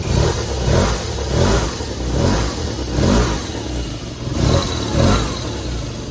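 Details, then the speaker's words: BMW R1100RS no-start fixed by replacing a bad relay; first start after long storage, puffing a little smoke, not fully warmed up: catches and runs with steady beat and gentle blips, firing cleanly. "and it took a second to get it started because it hadn't been started in so long and it did puff out a little bit of smoke but she is running"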